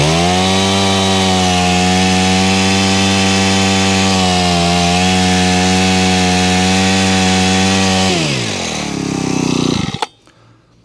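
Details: Honda HHH25 four-stroke hedge trimmer, formerly bogging, after carburettor tuning and a new fuel filter: high steady buzz held evenly for eight seconds, then drops cleanly and cuts off, holding revs well; normal running.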